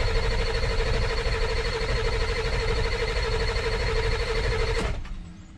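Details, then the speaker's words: 2000 Ford F450 dump truck diesel, cranking after fuel system parts changed: long steady whirring cranking that never fires; high-pressure oil achieved but lots of air found in the fuel bowl, traced back from the tank sending unit. "So I chased problems after problems, but once I got high pressure oil, I was noticing I was getting a lot of air in the fuel bowl."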